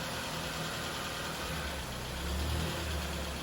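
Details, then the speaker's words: Damaged 2010 Ford Fiesta with secondhand gearbox, first start and drive test: quiet, even idle with a smooth steady hum and no knocks, ticks or rattles; engine running healthy. "that's a good start trying to go right back and try a couple of the gears that is good news guys"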